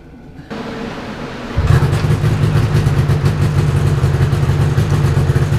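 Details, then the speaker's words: 1997 Yamaha VMax SX 600 two-stroke snowmobile, after a starter replacement and clearing oil from the fuel lines and carburetor: starter whir, then it catches into a steady buzzing idle with no misses; running healthy. "I got it all put back together, and I've got it somewhat detailed as fast as I could for tomorrow's shenanigans up in the snow. But let's hear it run."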